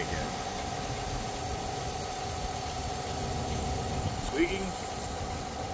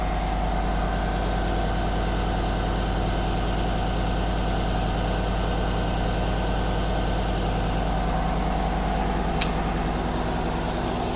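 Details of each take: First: 2020 Chevrolet Silverado LTZ V8, almost 60,000 miles, idling with a high chirping squeal; spraying water on the belt quiets it, returns as it dries, so the serpentine belt, not a pulley, is bad. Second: 2020 Chevrolet Silverado LTZ V8, nearly 60,000 miles, idling after serpentine belt replacement: smooth, steady low rumble with no belt squeak or squeal; water spray had quieted the squeal, pointing to the belt, not a pulley.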